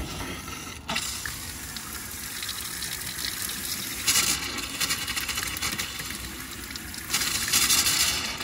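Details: New high-arc single-handle kitchen faucet in RV after replacement, pump back on: steady hiss of running water cutting out briefly then resuming as air clears the line; normal water flow.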